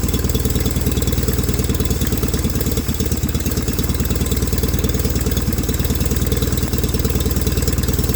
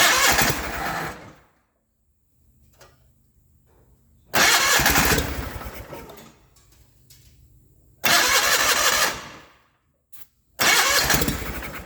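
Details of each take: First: 1989 John Deere 420 garden tractor after fuel pump work, running on its own fuel: steady, even low putter at idle with regular firing pulses, no misses or knocks; now runs and drives. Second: 1989 John Deere 420 garden tractor cranks in four short spells using starting fluid and swapped fuel lines but won't keep running; the original fuel pump is bad and isn't pulling fuel.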